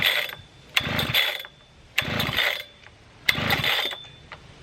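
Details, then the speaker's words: Husqvarna 3120 XP chainsaw, choke in: three pull-cord rips, each a brief whirr with no catch or pop; won't even burp; cranking with no firing, badly flooded. "it doesn't even want to burp"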